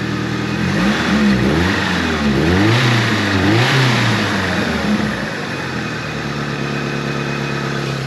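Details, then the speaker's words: 1983 Ford Thunderbird Turbo Coupe, 2.3 L turbo, 5-speed, unrun for 20 years, after a fix attempt (a bad injector was suspected): revs up and down cleanly, then a steady, even idle, running much better. "okay well it's running much much better almost like it's running 25 percent better"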